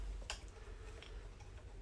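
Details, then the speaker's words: Harley-Davidson with a dead battery on a battery tender, after a VIN error code: faint irregular sharp clicks, about two a second, from a relay chattering on the flat battery, which was the fault. "there's a chance that the battery's just so dead and that's actually the issue weird things happen when your motorcycle battery dies"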